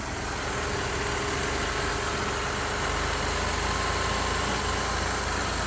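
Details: 2006 Ford Escape 3.0 V6 petrol, first start after replacing both valve cover gaskets and refitting the intake: steady hiss and faint whistle at idle from a vacuum leak, found as a vacuum line left off under the intake.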